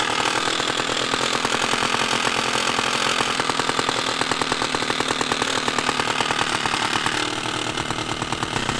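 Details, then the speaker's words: Stihl 056AV chainsaw after Bosch ignition replacement, started cold from the garage (the old ignition cut out after 3–4 minutes warm): idles and revs with a crisp, even two-stroke buzz, picking up cleanly without cutting out. Running properly. "so I'm going to start it up here let it get warm uh we'll do some revs and then see if the ignition is actually fixed"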